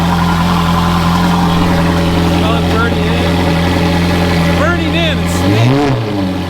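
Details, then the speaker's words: Ferrari 430 Scuderia, cold, after Capristo headers installed: smooth even V8 idle with a few quick light throttle blips rising and falling freely, no knocks or rattles; nice refined sound, normal revving. "wow that sounds really it's like it's got a very nice refined sou"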